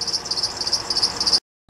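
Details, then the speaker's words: 2007 Honda Odyssey: fast, evenly spaced high-pitched serpentine belt chirps, several a second, keeping pace with the engine; caused by a bad belt tensioner pulley and a bad crank pulley (harmonic balancer), both replaced. "something chirping pretty bad that's very irritating I'm going to take a look at it I'm going to assume that it's either the idler pulley or the tensioner"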